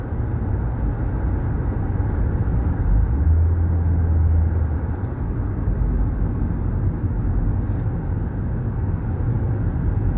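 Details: Car after a transmission replacement, cruising 45 mph with air conditioning on, radio off: heavy coarse low rumble, far louder than normal, customer says it sounds like a go-kart; no visible leak, cause unknown.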